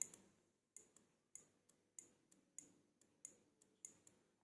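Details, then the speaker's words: 4-/5-pin relay bench test with a 12 V supply (positive on right, negative on left): sharp dry clicks, about seven pairs in four seconds, as the coil is switched on and off. The relay pulls in normally. "Hai ini mendengarkan ada suara klik yang ketika dihubungkan"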